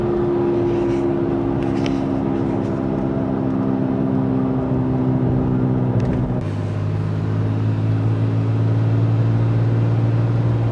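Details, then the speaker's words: Toyota FJ Cruiser driving with a loud, steady low hum and groan under road noise from a bad front passenger-side wheel bearing; long-used wheel spacers wear bearings faster; both front bearings replaced. "so we have that humming noise which is pretty weird"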